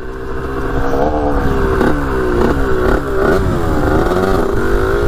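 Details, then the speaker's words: 1982 Kawasaki KX125 two-stroke after first ride, a little lean without air filter: revs and drops back to crisp steady idle, no knocks or misses; runs good, shifts smoothly, idle okay. "i don't want to run it too much longer it's a little bit lean without that air filter yeah she runs good"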